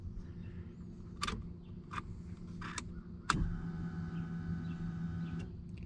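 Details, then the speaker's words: Wiring fault found while chasing steering column/horn and blinker grounding problems: rolling the dome light switch fully on primes the fuel pump and powers the ECM; a click then a steady two-second electric buzz of the pump priming. "that's me rolling my dome light switch all the way on primes the fuel pump okay so that's priming the fuel pump and turning the ecm on"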